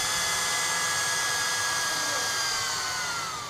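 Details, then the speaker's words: Portable hot-air soldering blower with burnt unidentified IC, motor speed knob turned down: airy whir slides steadily lower and quieter, faster when turned back; speed control responds normally. "dia menjadi pelan. Ini dia menjadi pelan. Ketika saya putar ke sini dia makin kencang."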